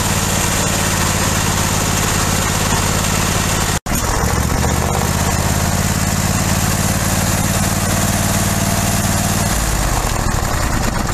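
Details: Briggs & Stratton 23 hp V-twin on a 2001 50-inch-deck mower runs steadily with an even, low throb, no misses or pops; it had backfired, wouldn't idle, and ran on one cylinder, traced to faulty coil diodes; valves also readjusted.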